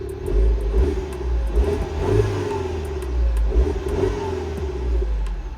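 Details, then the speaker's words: Mini Cooper S just after VANOS solenoid replacement for a lumpy, juddering cold morning start: even, steady engine note through gentle revs that rise and settle cleanly, no knocks or misses. Sounds normal; fix unconfirmed until a cold morning start. "Sounds normal. But, it's generally when I start it first time in the morning."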